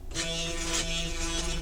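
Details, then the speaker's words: T8 CNC engraver kit, just assembled and run from a tablet: short smooth stepper buzz shifting tone once as X then Y axes move, no skipping or grinding; axes move normally, no limit switches fitted. "oops see nice then your x- AIS and then your y AIS so all the parts are there and it works from the uh little tablet"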